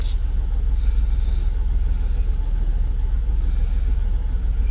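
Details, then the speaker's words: Jaguar XKR (X100) V8 with intermittent rough idle, cam position sensor and cam cover bolt suspected: started normally after an hour, steady even warm idle with no stumble or hunting this time. "it's idling oh my God what is going on no restricted performance nothing and it started normally"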